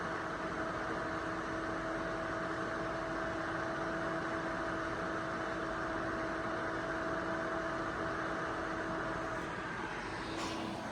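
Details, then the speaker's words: ACMEMATION 120mm PWM case fan (2700 max rpm) on a Corsair XR7 240mm radiator, one fan at full speed, 12 V actual, recorded about a foot from a decibel meter; steady air rush and low hum, no rattle or ticking. "So let's get the sound profile of one fan at full speed."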